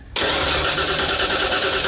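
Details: Old Ford truck with EEC-IV ignition, cranked by remote starter at starter S post: steady fast cranking, engine turns evenly but never catches; no spark, test light identical on coil positive and negative, meaning no coil control; crank no start.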